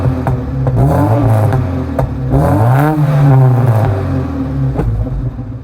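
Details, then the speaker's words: 1987 Alfa Romeo Spider with straight-pipe catback, pre-emissions manifold, no cat, and resonator, after intake removal for engine-mount work; it now crackles and pops loudly on overrun whenever revved, and the cause of the reassembly change is unknown. "however it was put back together slightly differently now it does it whatever you rev it and my god spicy"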